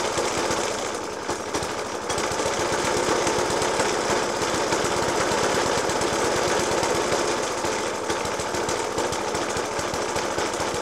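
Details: Suffolk Punch 30S mower, 1991 era, Dellorto FCH 20 carb; after new spark plug, decoke and carb clean, still hard uneven banging about four knocks a second over a ragged idle, never settling; cause not pinned down.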